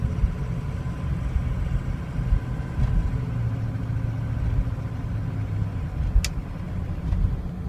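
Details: Warm 2003 Ford Excursion 6.0L Powerstroke diesel idles unevenly, its rumble lurching and sagging: a rough, stumbling idle that can stall when coasting or standing, with hard hot restarts. The problem came on over two days; the truck still starts well cold.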